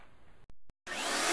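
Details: Pro 12 single-motor commercial upright vacuum: after a couple of short bursts the motor rises to a strong, even airy roar at steady pitch; normal running.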